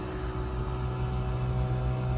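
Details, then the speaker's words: 12,000 BTU mini-split heat pump outdoor unit in defrost mode in cold winter weather (about 20–30°F), power ramping to around 1,000 W: steady low hum with firm even tone as the compressor spins up smoothly; normal. "and I hear it's slowly increasing and then let's see how high it goes here"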